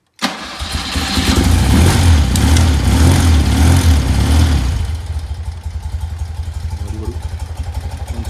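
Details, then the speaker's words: 1975 BMW R90S boxer twin, rebuilt top end, rods, valves, gearbox and carburettor, fuel lines replaced, started from cold: catches at once, revs briefly, settles to a steady even idle; clock ticking audible; healthy cold start. "Et alors, on va remarquer, maintenant la moto est froide. On va la démarrer. Et tout fonctionne."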